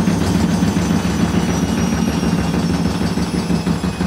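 A loud, steady roaring rumble through the whole spin with no let-up: the drum bearings are badly worn.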